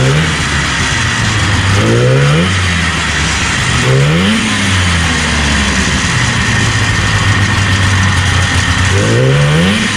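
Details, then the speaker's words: 1977 Arctic Cat El Tigre 4000 440cc free-air snowmobile, Mikuni round-slide carbs, needle clip moved one position leaner; revs surge raggedly and stumble between idle stretches, popping; low-end bog on acceleration. "no i think it's popped like a [ __ ] i just why but not bad"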